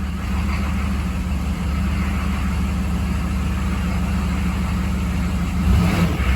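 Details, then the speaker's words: 6.5 diesel that had been running out of fuel and dying, after fuel system work, possibly air left in the line. Steady, even low diesel drone with no misses or surges, feels smooth, though some hesitation remains. "know it sounds good it feels [Music] smooth still has some hesitation though"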